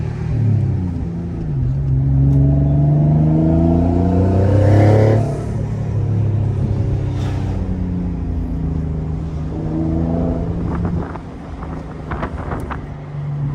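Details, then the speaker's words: High-mileage Nissan G35 on its first drive after a twin-turbo install: revs rise and fall, then short hissy "tss" puffs follow each lift-off. These are the wastegates releasing on a healthy setup. "The first air release is the wastegates, huh? That's that you hear?"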